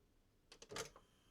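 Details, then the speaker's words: Sony CMT-MD1 micro system top-loading CD after replacing the loading belt; quick string of light clicks and short motor whirr as the tray opens cleanly and smoothly, loading mechanism now working. "There we go. Lovely. Lovely and smooth. That's just a simple belt has fixed that."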